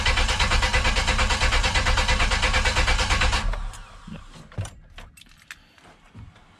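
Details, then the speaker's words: OBS Chevy project truck on its original engine, first start attempt: starter cranks in an even rhythm for about three seconds but it never fires. Owner suspects the worn distributor cap, old fuel or an unclipped connector; not confirmed. "So it's probably a distributor cap. I don't know, could be old fuel, could be me not knowing what I'm doing."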